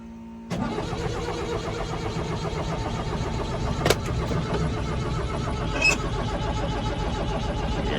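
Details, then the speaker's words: 1975 Ford Transit MK1 diesel, cold start, fuel treated and not gelled; eight seconds of steady labouring cranking with no firing, cranks but will not start; front bank of glow plugs had been left unplugged. "that's a hard hard no so yeah so even with whatever amount of voltage got to it she still not going to go"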